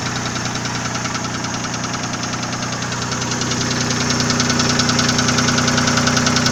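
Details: Nissan VG30E engine at idle: a steady, sharp, even ticking knock of roughly two and a half per second, getting slightly louder; owner asks what is knocking, source unknown.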